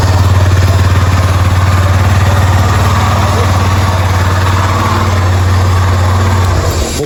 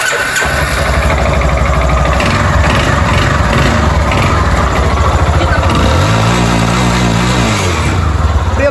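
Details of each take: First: Yamaha Fazer 250 engine rebuilt with a new cylinder after an engine noise complaint: steady, even single-cylinder idle with a deep regular thump and no ticking, tapping or knocking; normal idle. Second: Yamaha Fazer 250 motorcycle engine at idle and a brief rev: loud, rattly, hollow metallic clatter from the cylinder. The owner plans to replace the cylinder kit; the piston skirt is slapping.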